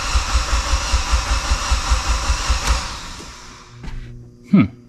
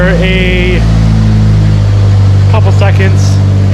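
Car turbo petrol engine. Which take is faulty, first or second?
first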